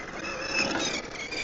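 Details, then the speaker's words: Traction Hobby King Motor 1/7 Citroen C3 WRC electric RC rally car: a fast scratchy rasping buzz over the motor whine in reverse as the tires rub the body shell or fenders; trimming needed. "Uh, it's really disappointing is how that body is hitting the tires or tires hitting."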